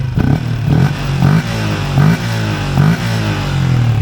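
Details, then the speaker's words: Malaysian LC V8 motorcycle with Uma air filter and trumpet fitted: three or four quick blips rising and falling cleanly with a slightly bassier intake note; healthy, normal revving. "lepas saya pakai Hypertext, ada bass sikit. Ada bass sikit."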